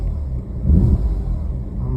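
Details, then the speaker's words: Audi S4 engine idling: low, uneven and stumbling with brief surges, a misfire; scan shows codes P0301 and P0305 (cylinders 1 and 5 misfiring), and the bank one O2 sensor signal is abnormal; the engine harness and grounds are to be checked. "we're back in the S4 tonight uh trying to track down what's going on with this uh engine misfire it's real stumbly"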